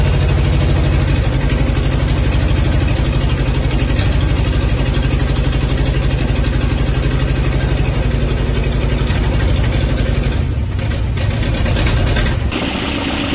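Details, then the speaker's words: 1969 Ford F250 Ranger camper special, 390 (possibly 360) FE big-block V8 with C6 automatic, off the road since 2008, very bad spark plugs, no oil pressure seen: loud lumpy rough running with massive blow-by through both PCV valves; owner suspects lost compression, maybe valve stems or rings. "we have a massive blow by leak coming through the two pcb valves so definitely some some i don't know compression missing there or going somewhere where it doesn't belong"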